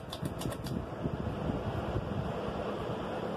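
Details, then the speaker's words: 52-inch Harbor Breeze Edenton ceiling fan on medium/high, then spinning down: a whoosh with an irregular light ticking rattle. A loose canopy screw that fell inside the housing is the cause and needs knocking out. "still making the noise while spitting down so it's definitely a screw in there you have to knock it out"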